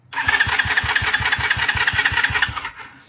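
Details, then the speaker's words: 2021 Kayo 70cc kids dirt bike, under 5 hours, new battery, choke on: starter spins the engine in a steady chug of nearly three beats a second with no firing. Suspected fuel starvation from a plugged, dirty carburettor or clogged fuel filter. "we're gonna tear off our carburetor here and see what we can find. Maybe she's plugged up, maybe she's dirty, maybe the fuel filter's just not working right. Maybe it's clogged."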